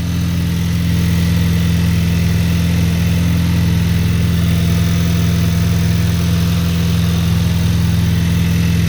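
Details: Cold start of a 2023 VW DLB engine, rebuilt at 23k km, after an oil and filter change, with the air conditioning switched off. Smooth, even low hum with a steady pulse of about three beats a second and no knocks or misses; healthy cold idle.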